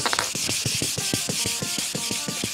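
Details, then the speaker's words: Quick, even, soft smooth hiss of hand-sanding a yellowed polycarbonate BMW headlight lens (E53/E39) with 2000 grit, after the 800 stage; the smoother sound shows the 2000-grit stage is finished. "et c'est ce que cela ressemble quand vous avez déjà terminé à 2000 [Meulage] un bruit de meulage relativement doux et relativement fort,"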